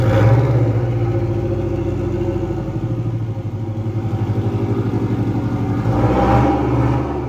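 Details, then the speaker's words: 300hp WRX-swapped VW Beetle, donor engine about 120,000 miles, test drive after new spark plugs: lumpy stuttering beat about four a second, surging and sagging once into boost; misfire later traced to clogged fuel filter. "So, we can kind of see once we start getting into boost, it just starts breaking up."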